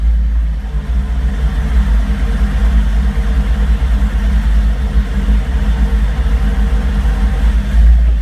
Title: Rough idle